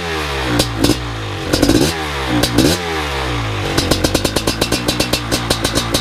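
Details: First startup of a BRC 500 engine kit in a 2015 Husqvarna TE 250 with SmartCarb 40mm billet carb, TPS and PowerCDI ignition. The single catches, takes a few sharp throttle blips, then settles into a crisp, even, rapid beat; running healthy.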